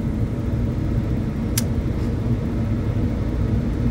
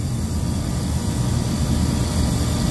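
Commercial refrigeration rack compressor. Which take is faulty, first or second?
second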